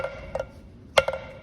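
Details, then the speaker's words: 1949 Chevy Fleetline engine that had been seized: a hammer is dropped on the valve heads. A dull tap that sits with no rebound marks a stuck intake valve, and several intake valves are stuck. "it just kind of sits there see the you can even hear the difference so this one is stuck and this one is stuck"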